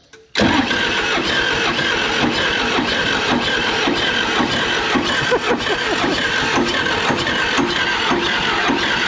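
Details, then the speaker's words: Military John Deere 450G dozer, about 300 original hours, inoperative, started with ether; catches and runs rough with uneven lumpy beat and harsh clatter; suspected timing off or valves hung open, cause unconfirmed; rough running after start. "not good these little Motors never require ether even down to like cold temperatures so we either got some timing off and valves are hung open or it's just it doesn't sound good in there to me"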